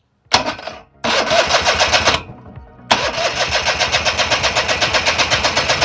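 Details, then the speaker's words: Eglin Hoverbug hovercraft, nearly 55 years old, original JLO Rockwell snowmobile engine, first start attempt in 25 years; two short cranking bursts then steady chuffing about four per second that never catches; carb leaking fuel, plug a little wet, owner suspects flooding. "This thing is just, it's not even, it's just leaking. So yeah, let me see if I flooded it."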